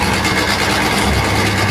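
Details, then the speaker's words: Wansa washing machine on spin, owner reported noise; tub looks stable. Constant rough scraping rumble through the spin, like something rubbing, heard as the motor spins; technician suspected then doubted the clutch; cause unconfirmed. "Parang meron siyang nagagasgasan. Pag-obserbahan ko yung ikot ng kanyang ayan, yung cooling ng motor, saka lumalabas yung ingay."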